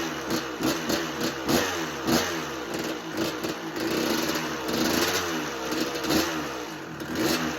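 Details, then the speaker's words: 1986 Kawasaki KX125 two-stroke with spark regained and a clean carb, run without choke with the idle screw raised. Sharp rev bursts fall away and sputter toward stalling when the throttle closes, so it won't idle. Cause suspected, not confirmed. "Okay. Doesn't want to idle. Turn the idle up a bit more."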